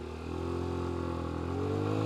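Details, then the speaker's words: Scooter that sat for years, after a new rear tire and fresh engine and final drive oil, with a rattling part refastened: engine idles and revs up smoothly with little or no metallic rattle; running normally. "Yeah. No more rattling. At least very little amounts of rattling."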